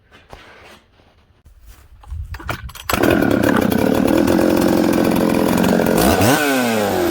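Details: Husqvarna 266XP chainsaw on day two after air-leak repair, running outside: fires up and buzzes, then climbs lazily and reluctantly to high rpm though it idles fine and runs upside down; sluggish acceleration from faulty carburetor.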